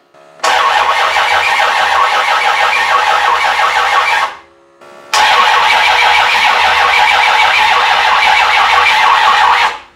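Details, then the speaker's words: Rebuilt 360 Magnum V8 on run stand, first start attempt: two long cranking bursts, starter whirring steadily with no catch; no ignition spark because no 12 volts was wired to the coil positive side. "so yeah an idiot doesn't have 12 volts coil because he never ran 12 volts to the positive side of the coil"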